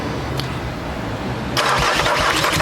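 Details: Amarok after timing belt failure, new belt fitted, first crank: even starter cranking with a light hollow beat turning rougher and louder, never catches; owner suspects open valves, not confirmed.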